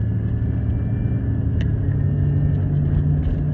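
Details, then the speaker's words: Chevy Impala Rust Belt Copart project car, first test drive after rear suspension repair, phone mic: deep constant growl from the front at steady speed over road rumble; owner suspects worn front wheel bearings. "I hope that's wheel bearings there's if you can't hear it on the phone microphone there's definitely a real loud growl coming from up front so looks like it's gonna be time for some new bearing hopes"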